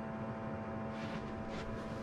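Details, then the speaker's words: Nakatomi MAC-20 2.2 kW portable air conditioner in a Vantech Atom camper, running on a 1000 W square-wave inverter: constant hard buzz with a steady tone over the fan rush, absent on normal mains power. Abnormal motor buzzing on square-wave inverter power. "ちょっとね、変な音がする。もう一回ちょっとこっちの電源でね。やっぱり普通の電源で入れたら変な音はしないので、多分ねちょっとやばいんですね。"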